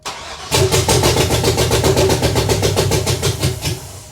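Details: BMW with swapped 6.0L American V8, after coil pack and ground work and gas into intake: starts, runs lumpy and uneven with dropped pulses instead of smooth rumble; multiple cylinders misfiring.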